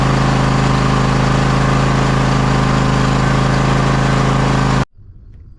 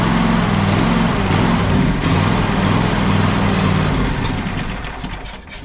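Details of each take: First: John Deere X540 mower, Kawasaki FD731V V-twin, after fixing the fuel delivery fault that made it die after 15–20 minutes, including carburettor cleaning: steady, smooth low rumble with no surging or stumbling; running healthy. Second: John Deere X540 mower, Kawasaki FD731V V-twin, dies after 15–20 minutes running: runs only on choke, beat sags and fades off choke; fuel delivery problem, dirty carburetor and failing fuel pump, fixed with ultrasonic carb cleaning.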